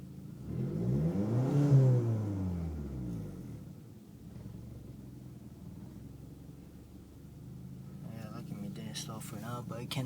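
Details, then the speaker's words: 2004 Audi A4 1.8T quattro with rough idle and stalling, engine smoking: revs up then idle sags low and uneven after throttle release, nearly stalling; idle also drops low on hills. Cause unknown. "So basically it's at normal idle, but if I'm up a hill or something, it goes down very low, and if I throttle up and release my throttle, it goes pretty bad. It goes down pretty bad. Sometimes it'll stall."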